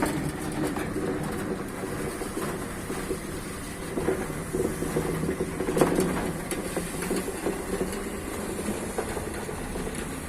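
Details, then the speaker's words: Sliding gate motor running with a steady, even drone and rack rumble and no stalls or grinding, after a broken rack section that made it slip and stop was replaced and the motor realigned to the rack. "e o portão daqui e aqui o portão trabalho normalmente agora aí eu vou testar agora"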